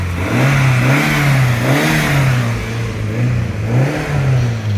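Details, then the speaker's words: Rover 820 Turbo Vitesse coupe, 16-valve 2.0-litre turbo, started on a new battery after about two years parked. Free revs rise and fall smoothly a few times with a clean, even note and no knocks or rattles. Normal free revving. "Actually sounds quite nice. Sounds quite clean and tidy."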